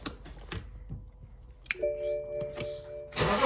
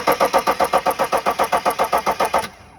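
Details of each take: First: 2009 BMW X5 35d E70, M57 3.0 L twin-turbo diesel, after highway breakdown, parts replaced and fuel system bled: starter cranks briefly, engine catches first try and settles into steady even idle clatter; fixed. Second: 2009 BMW X5 35d, M57 3.0L twin-turbo diesel, stalled on highway after limp mode: steady cranking near four beats a second for two and a half seconds, never catches; lift pump works but zero rail pressure.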